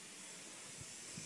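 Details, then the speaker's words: 1978 C3 Corvette with LS1 and fabricated Holset HX55 turbo kit, boost leak test at about 5 psi shop air into the turbo intake, engine off: steady loud hiss of escaping air; significant boost leak, checked with soapy water. "so turning the valve over and letting the pressure build inside you can already hear the leak pretty significant"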